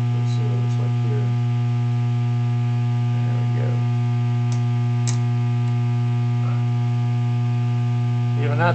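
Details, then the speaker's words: Vacuum tube guitar amp in ready mode, speaker connected, clean channel volume up with no input: a steady low buzz that appears to be 120 Hz, not 60 Hz. Pulses coincide with HV rectifier diode conduction; the source is still being traced. "but the point I was trying to make was the buzzing is not 60 cycle it appears to be 120 cycle in origin"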